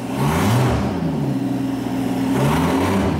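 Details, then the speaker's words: Mercedes CL65 AMG V12 started with the exhaust removed and turbos open: deep raw roar rising and falling with throttle, with whirring spool over it; both turbos spin up freely. "can definitely hear those turbos though there we go turbo spinning away we know those are working"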